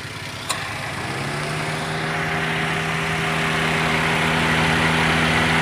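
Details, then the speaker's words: Toyota Avanza/Daihatsu Xenia with the engine idling, after repair of a dead radiator extra fan (motor fan). The fan hum spins up within a second and settles to an even tone. The radiator fan is working normally again. "di juga kebagian vegapunk nomornya terwujudnya hidup kembali dan berfungsi dengan normal kembali"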